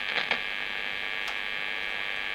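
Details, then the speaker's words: Marshall 30W Lead JMP2201 guitar amp, possibly 1970s or 80s, mic brought closer: steady, even mains hum buzz with no pitch change, likely interference from nearby fluorescent lights; bright pot scratchy with dead spots. "It's got a sort of bit of a nasty mains hum buzz. May or may not be able to do something about that."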